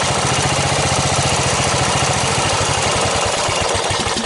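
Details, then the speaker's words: Snapper 38-inch scrap riding mower idling; steady, fairly even single-cylinder thump, no knocks or misses; sediment bowl gasket to be checked for a drip, owner says it sounded pretty good. Normal idle. "get in there and and i think i got a couple solenoids laying around here so i'll pull that sediment bowl back off and check that gasket and we'll go from there but it sounded pretty good"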